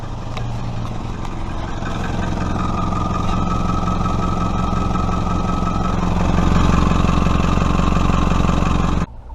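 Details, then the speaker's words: 1996-2000 Toyota RAV4 3S-FE at start-up, revving, then driving: quick ticking riding on the exhaust note that speeds up and gets louder with revs. Exhaust leak at the flex pipe. "so this is what the exhaust leak on this car is gonna sound like right when you start it up here we go now you can hear it kind of ticking"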